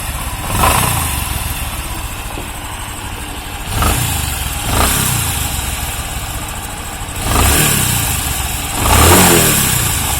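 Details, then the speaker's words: Bajaj Discover 125cc motorcycle: rough growl from inside the engine swells with each light throttle blip over idle; crankshaft main bearing growl, a broken internal bearing suspected, full engine removal and teardown needed. "फिर इसका अंदर से एक आवाज आता है, घर घर घर घर, देखें साउंड। देखते हैं इसका अंदर कौन सा बेरिंग टूट गया।"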